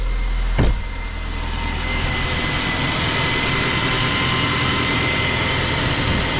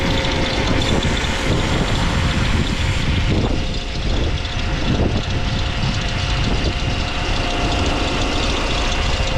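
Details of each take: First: Vauxhall engine idling quietly after belt noise was fixed by cleaning grease and oil buildup off the pulleys and belt; one knock, then steady even idle with no squeal or chirp, faint constant whine. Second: Saab engine at idle: steady idle with a thin whine and chirp riding on top at constant pitch; auxiliary drive belt noisy, went quiet once wetted with brake cleaner, cause unclear at this point.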